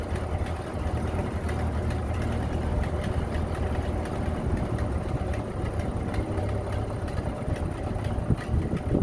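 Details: 1930 Ford Model A barn find, first run in 40+ years after a head gasket replacement, a new wiring harness and an oil pan cleaned of sludge: a low, steady four-cylinder rumble without knocks or misses; running normally.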